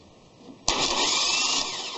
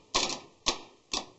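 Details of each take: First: Starter bench-run by jumping the terminals directly: a harsh, high whirr for about 1.5 seconds, then it winds down. It spins but sounds strained, working harder than it should. Cause unconfirmed. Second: Bench test of a Ford Escape starter, jumper wire from positive to the small solenoid terminal: three crisp, sharp clicks about half a second apart as the plunger snaps out each time. Solenoid working normally, though this doesn't prove the starter is good.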